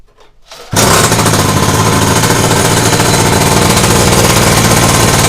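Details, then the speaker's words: PS50 49cc two-stroke pocket bike with 15mm carburetor, first start: engine settles into a fast, hard rattling idle that never drops, enough to start engaging the clutch; idle speed too high, to be lowered via carburetor screw. "Teraz musimy przystąpić do regulacji gaźnika. Chodzi on na zbyt wysokich obrotach. Czujemy, że tak jakby chciał ciągnąć trochę już, sprzęgło się otwiera."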